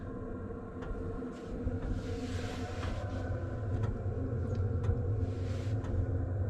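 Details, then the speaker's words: Cheap Chinese diesel heater installed in 2006 Nissan Frontier, quieted: low even rumble with faint light ticking, about 55 dB, 20°C inside vs about 30°F outside, hot air from vents; normal quiet running. "that's about 30 degrees outside and we're around 55 decibels which isn't too bad some nice hot air coming out of the vents"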